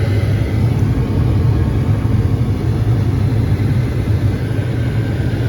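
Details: Carrier furnace after repair, flame sensor reading 3.5-7 microamps: a steady, even low roar with no flutter or cutting out. The burners hold flame and run normally.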